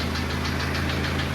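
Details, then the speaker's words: Diesel engine on a drive with oil pressure thought to be too high: sharp, evenly spaced knock over the idle at several beats a second; internal engine damage suspected, a damaged piston in one cylinder. "Uh-oh. Sounds like we might have internal engine"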